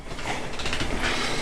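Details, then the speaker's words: Dell Inspiron 570 desktop just fitted with a new Antec CP450 power supply, powered on; steady even whoosh of fans, no beeps or rattles, nice and quiet; normal fan running, replacement a success. "here we go sounds good here I hear fans"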